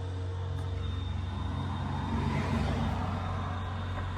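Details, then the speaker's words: Added external oil cooler fan on an air-cooled VW Beetle with a large, higher-compression engine, after a test drive with temperature around 190–195; steady low hum with an even pulsing beat and faint high tone, running normally. "All right, so let's hear. We can hear the fan. Where is the fan? There's the fan."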